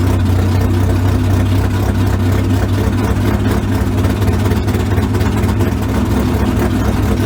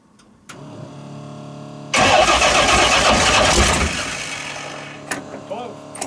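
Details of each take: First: 355 small-block V8 swapped into the '57, after setting about 8–10 degrees of timing without a timing light and slightly adjusting the carburetors: a steady, even burble with a slight rise near the end, running clean. Normal idle and revving. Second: First start of the "old reliable" 355 small-block V8 swapped into the '57 in place of the smoking 427, with timing not yet set: it cranks, then catches with a ragged roar easing to a lumpy idle. Retarded ignition timing, later cleared by adding about 8–10 degrees.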